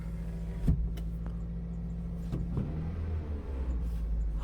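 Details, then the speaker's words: Toyota Celica idling, heard from inside the cabin after replacing two of four motor mounts, including the destroyed passenger mount: a low, steady hum with little vibration or boom. Years of loud engine noise in the cabin are gone. "To finish it off, let's get a listen to the cabin noise with only two motor mounts replaced. Is it even making a noise?"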